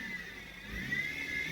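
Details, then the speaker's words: Dodge Caliber with power steering noise complaint: loud steady high whine rising with revs, unchanged when AC is switched on; suspected belt-driven accessory (power steering pump, alternator, AC compressor), to be isolated by removing the serpentine belt. "let's turn it on see do we add any additional load or noise to it yeah that's a loud wine"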